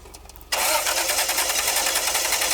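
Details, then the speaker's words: 1990 Toyota 4Runner 3.0 V6, cold morning restart after dying: brief cranking, catches and runs rough and stumbling; owner suspects a vacuum leak or fueling issue, spark or fuel unconfirmed. "wants to yes a little bit of a stumble there this sounds like a vacuum leak or a fueling issue to me personally i mean it's running it kind of sounds like it's struggling or stumbling a little bit"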